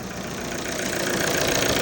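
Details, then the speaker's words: Volvo V40 after a no-crank/no-start fix (new starter, new battery, cleaned EGR, throttle and intake pipe) running on first successful start: steady, smooth, even idle hum with no knocks or misses; normal idle. "At the moment, we did it. Finally, it's working now."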